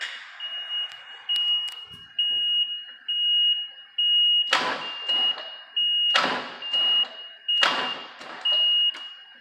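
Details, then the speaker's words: Jeep on weakly charged batteries after electrical work: steady high beep about twice every three seconds while engine cranks in slow laboured bursts; cause of beeping unknown. "So I got all the electrical sorted out. It's still beeping. I don't know why it's beeping, but it does turn over."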